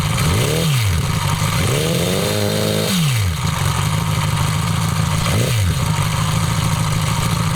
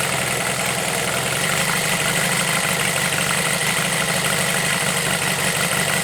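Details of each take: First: Homemade four-cylinder CD125four engine (Honda Monkey converted, ver1.1) fitted in the bike at a riverbank: revs blipped, then steady idle with light busy ticking from the head; rocker arms can't be adjusted properly (no feeler-gauge access), valve-train noise. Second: Homemade four-cylinder CD125four engine built from a Monkey, start test indoors before frame mounting, head gaskets sealed against blow-by; even, busy idle holds steady with no misses, knocks or surging. Normal idle.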